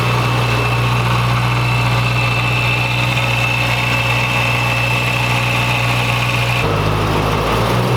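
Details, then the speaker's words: 2011 BMW E90 M3 at first start after a VF Engineering supercharger install: smooth even idle with a steady high supercharger whine over the engine note; normal supercharged idle. "Instantly you can hear right away the supercharger just has this crazy sound to it."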